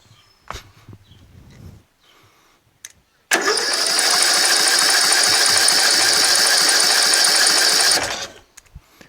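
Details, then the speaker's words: Rebuilt tractor with newly installed engine and carburetor, choked, fuel pouring out of the carb and exhaust: even cranking about three and a half beats a second for nearly five seconds, never fires; flooding suspected, possibly a missing jet. "doesn't seem like it wants to start ever"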